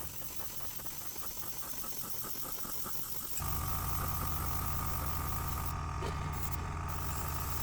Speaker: Thought I heard it run out of paint. I was correct. So I'm just filling it up.